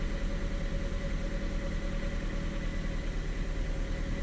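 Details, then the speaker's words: 2010 Ford Fiesta 1.6 petrol with intermittent erratic cold idle, after TP sensor adjustment as a likely temporary repair: cold start idles slightly high but steady, constant low drone, no surging, TPS1/TPS2 and throttle readings steady; normal cold idle. "revving a bit higher but it's not surging we've got pretty steady tps1 tps2 and the actual etc's steady too"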